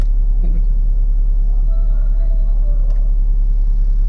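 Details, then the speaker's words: Car at idle with AC switched on: heavy steady low drone plus chirping from the radiator fan area; fan makes steering wheel and whole car vibrate; pressing the fan stops vibration and noise; fan problem. "देखो, मैं अब AC चालू कर रहा हूँ। यह देखो। इस स्थान से चहचहाने की आवाज आ रही है।"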